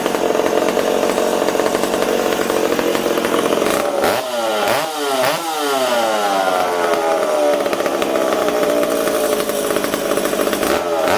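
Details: McCulloch Super Pro 70 two-stroke chainsaw, on the bench: high buzzing engine speed swings unevenly, hunting instead of holding steady; owner suspects an air leak, possibly the decompression valve.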